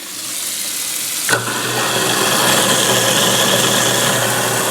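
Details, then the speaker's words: New Moen Prep GX50c disposal replacing an InSinkErator Badger 1/3 HP, mic under the sink by the motor. Quiet, then a steady low hum with water hiss as the motor kicks on. The motor end is quieter, though the sink end seems noisier; running normally. "This is what it sounds like down here where the motor is. It's definitely quieter in the closet. So it is definitely quieter down in here."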